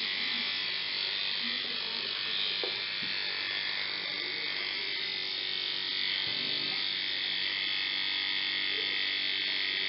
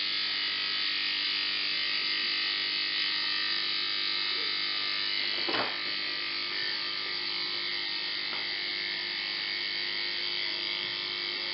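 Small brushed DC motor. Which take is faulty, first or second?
first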